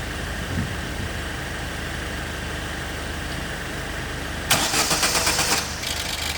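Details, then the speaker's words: 2006 Opel Zafira that died while driving (fuel pump also suspected): steady hum, then a harsh stuttering crank for about a second; the rear-mounted starter motor only engages after being tapped. Intermittent starter motor fault. "So merong problemang starter motor guys"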